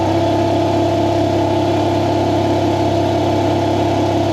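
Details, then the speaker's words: Shop air compressor powered through a generator supplying 240 volts after rewiring: a steady, even motor hum with a strong low drone and no knocks or surging; it runs normally on 240 volts. "That sounds like it's running on 240 volts."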